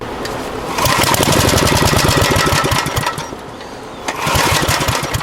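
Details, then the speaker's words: Abandoned Generac generator, carburetor not flooding: rapid rattly pull-cranking bursts at about four strokes a second that never catch. Owner thinks it's not getting fuel; cause not confirmed. "Thought that pull was going to be the one. Alright. I'd say it's not getting any juice."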